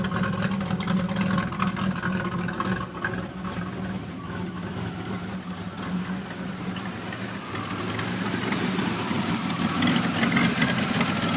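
Uneven, lumpy idle with an irregular beat of about two or three pulses a second, then a slight rise in revs: a rough-running engine. Cause suspected, not confirmed.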